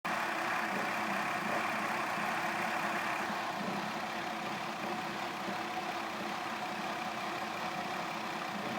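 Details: 2002 Mazda Tribute petrol engine idling cold with an uneven, lumpy beat and light metallic rattle; throttle body cleaned, oxygen sensors and spark plugs replaced, still stalls unless throttle keeps RPM high.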